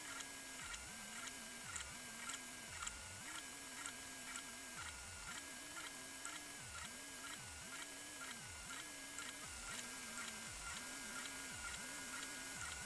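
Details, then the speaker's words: SUNLU Terminator3 (T3) 3D printer printing a Benchy: even fan hum with soft, regular stepping about twice a second; head nearly silent, fans loudest, nothing abnormal. "on entend les ventilos, il n'y a pas de problème, mais la tête d'impression, hein, on n'entend rien."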